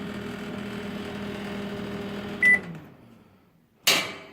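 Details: Microwave oven with broken door switch bypassed by a salvaged toggle switch: even low hum with a faint buzz runs steadily, then a click cuts it off and a door clunk follows; working normally.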